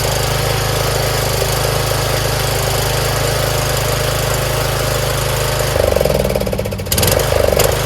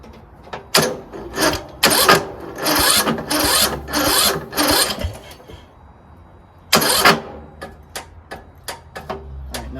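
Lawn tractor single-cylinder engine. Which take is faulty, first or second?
second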